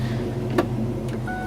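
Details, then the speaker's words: Mustang idling just after a Wix 3397 fuel filter replacement: low, smooth, even hum with no stumble or misfire; sounds good, owner will probably check for leaks. "starts up I don't know sounds good to me um probably check it for leaks one more time here"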